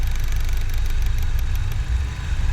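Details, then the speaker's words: Engine idling on a 5th-generation CNG system with a quick, light, sewing-machine-like tapping from the CNG injector rail, which tends to grow louder over time; CNG injector rail knocking at idle. "oi tá ouvindo esse barulho acaba que o barulho dos bicos injetores do carro é tem mais ressonância do que a própria galeria dos inj"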